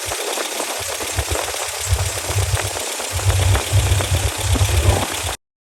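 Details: 1987 Toyota pickup 22R four-cylinder, carbureted, after fixing vacuum leaks and replacing the fuel pump, while setting timing at 950 rpm idle: low, steady warm idle with an even exhaust pulse and no knock or miss.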